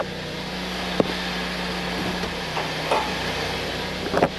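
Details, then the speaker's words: 2013 Ford Escape on a lift, customer complains of loud popping when shifting; idling, shifted into gear: one sharp clunk then softer thumps with heavy engine movement; failed torque mount, to be replaced. "I'm watching a lot of movement over here so you're going to see what it looks like when a torque Mount goes out cuz I guarantee that's what it is"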